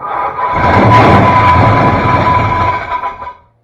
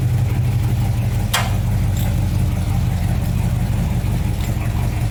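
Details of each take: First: 1966 Ford Fairlane GTA, first start attempts with the starter tight against the flywheel: loud tinny metallic ring over cranking and start for about three seconds, flywheel hitting the case; starter readjustment only partly helped. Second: 1966 Ford Fairlane GTA after fitting a new starter, replacing the wrong one that hit the new flywheel: steady, even low rumble with no knocks or grinding from the starter area; engine idles smoothly, normal.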